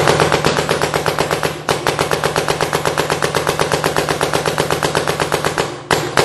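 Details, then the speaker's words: 2009 Smart Parts Shocker NXT paintball marker, 2009 board in PSP ramping; rapid even sharp cracks held at a steady capped rate of about 10 balls per second with short pauses. "That is about 10 balls per second."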